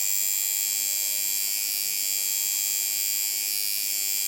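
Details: Watson coil tattoo machine after tuning between a too-high and a too-low rattly setting: a steady, even high buzz with no clatter; later inspection finds the armature bar and spring crooked.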